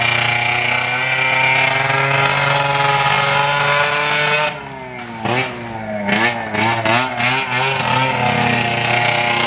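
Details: Arctic Cat ZL600 EFI snowmobile run with the muffler off: a very loud open exhaust revs, then sags and stumbles unevenly under throttle. The engine is bogging; owners suspect the intake boots.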